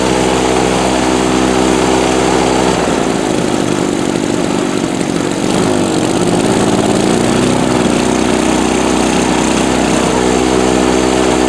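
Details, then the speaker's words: Harbor Freight Storm Cat 2-cycle generator, drill-started with the spark plug still loose (timing or flywheel key suspected for a hot-restart problem): over-choked, it sputters, stumbles and hunts when the choke comes off, shoots smoke, then smooths out as excess fuel burns off. "You can hear it when I take the choke off that it's sputtering, and before it shots smoke out. Let's see if we can do that again. And then eventually smooths out."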